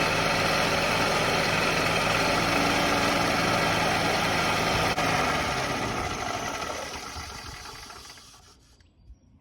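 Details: Yamaha golf cart that sat 6–7 years, running on very stale fuel with a cleaned plug and jumped from a car: the small single-cylinder engine ticks over evenly, then winds down and stops. It runs reasonably well.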